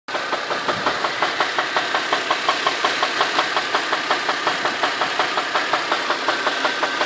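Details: Infiniti FX35 with the engine warmed up, at a steady idle: a sharp metallic knock about three times per second, evenly spaced; an internal engine knock of unknown cause.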